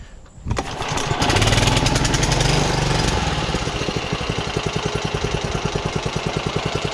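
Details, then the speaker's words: John Deere 14SB with an aftermarket Amazon carburetor, after governor adjustment, choked and set to idle: catches, then a steady single-cylinder putter with no misses; normal idle, perhaps slight top-end tap, and the valves may need adjusting. "So, it still runs great at idle."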